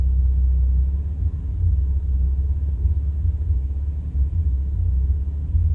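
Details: 1985 Toyota Celica 22RE at a gas station, recorded inside the cabin with doors and windows closed: deep, muffled idle that swells and dips unevenly instead of holding steady; rough idle.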